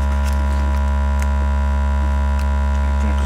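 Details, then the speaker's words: Speaker loud low-frequency buzz not from the driver: steady deep hum near 50 Hz with a buzzy, fluttering edge as the loose grille cloth resonates around 50–60 Hz and slaps the back plate; high frequencies less affected. "he grill is rattling and hitting the the back plate if you touch the grill so the whole whole cloth speaker cloth is actually like a a flapping about"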